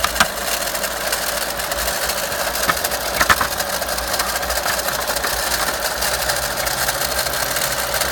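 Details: VW Golf Mk5 1.4 TSI 170bhp, 66,000 miles, at idle: light, fast metallic rattle with a few sharper clacks; after checking alternator pulley and timing chain, traced to the water pump (magnetic clutch).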